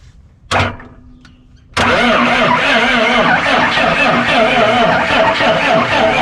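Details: 1991 Freightliner FL70 tow truck, believed 5.9 12-valve Cummins diesel, sat about 15–20 years, old batteries replaced: strong cranking about four compressions a second, never catches; fuel cut by stuck shutoff solenoid; water found in fuel.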